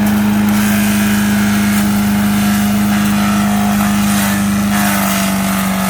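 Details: 5 HP MTD wood chipper/shredder, running after carburetor kit install following a year or two unused; steady governed drone, constant tone, no surging even while chipping, normal running.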